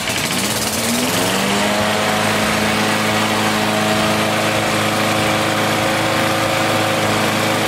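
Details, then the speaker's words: Old Briggs & Stratton 4HP single-cylinder mower engine, run fast; loud buzzy roar with uneven shaking rattle as revs rise — bent crankshaft. "Run it a little fast. You see how it was kind of spinning? This thing got a bent crank shaft."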